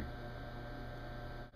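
Low, steady electrical hum with no grinding or spin-up, just a strained drone; the disposal motor is humming and struggling. Cause suspected, not confirmed.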